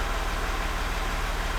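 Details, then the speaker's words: Range Rover L405 3.0 TDV6 diesel after a full rebuild for a knock with metal in the oil filter, first real-condition start in Park: low, even idle, smooth steady beat, no knocks or ticks; running healthy. "We have a fully functional working in a perfect pristine condition engine."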